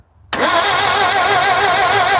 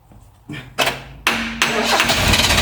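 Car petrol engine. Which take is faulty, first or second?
first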